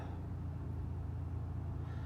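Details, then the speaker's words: 1983 Toyota pickup, power steering pump checked at idle: only a low, even engine rumble with no whine, no leaks or wet spots; the pump sounds healthy. "doesn't look like it's leaking, and it doesn't sound, it's not whiny or anything. It actually sounds pretty good. So power steering's good."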